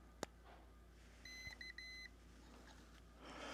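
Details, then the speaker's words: Newly built PicoKeyer automatic CW keyer kit for ham radio, playing a preset message through its very quiet small speaker: a quiet high-pitched run of clean dits and dahs; stored message sent properly. "There's some preset codes in here already. And the speaker is very low, so I don't know if you'll hear it or not, but we'll try to get it on the microphone here."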